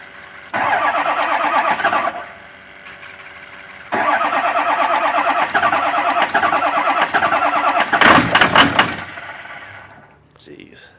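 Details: 2004 6.0 engine with an exhaust leak, smoking heavily; cranks, catches, then settles into a quick raspy chuff that puffs in time with firing; exhaust leak.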